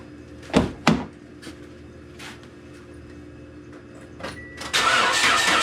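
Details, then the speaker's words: 2008 Toyota Yaris after replacing damaged exhaust manifold flange with bolt-on split flange clamp: engine starts and idles evenly with no ticking or puffing, exhaust leak gone. "Quietness. Ah, doesn't sound like an exhaust leak. That's a good sign."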